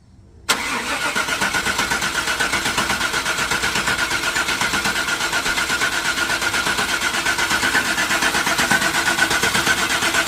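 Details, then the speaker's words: 1995 Chevrolet Suburban after full fuel system restoration with new gas lines, tank and fuel pump, only about 2 gallons in the tank: steady fast starter cranking for about ten seconds without catching while the empty fuel lines prime. "I know we gotta crank it a couple times because there was nothing on the lines."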